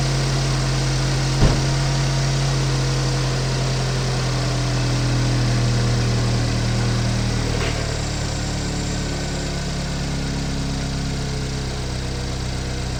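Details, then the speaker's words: 2015 GMC Terrain, mic left outside car, at idle: rough raspy puffing about four pulses a second over low engine drone; exhaust leak from split in muffler side, engine otherwise quiet. "yeah that muffler's got a split in the side which makes her sound terrible"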